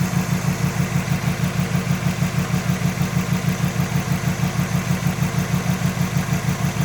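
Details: 2005 Subaru WRX EJ20, code P0340 and cylinder 3 misfire despite new coil, spark plug and front O2 sensor, timing belt and MAF checked, compression good: deep, lumpy idle with a steady stumble about every two-thirds of a second; cause unknown.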